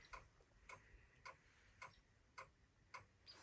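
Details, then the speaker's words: Ford F250 7.3 IDI diesel on a cold start, won't start, engine not running: sharp clicks about twice a second. Owner suspects a failing glow plug relay and some dead glow plugs. "just clicking there's cool plugs better the relay is bad yeah the relay must be bad and there must be some globe plugs out"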